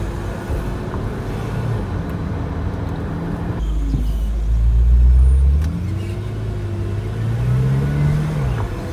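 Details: BMW F10 M5: low engine drone with a whine/screech rising and falling in pitch, reportedly from the gearbox as cold gearbox oil is pushed through the filter.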